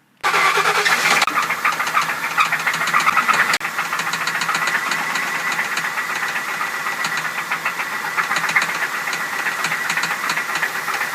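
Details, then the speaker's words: 2000 Crown Victoria started by jumping the starter solenoid since the key won't crank: settles to idle with a sharp, fast, regular loud top-end tick; source unknown, small passenger-side leak seen. "it's recording [Music] so it's got a real loud tick"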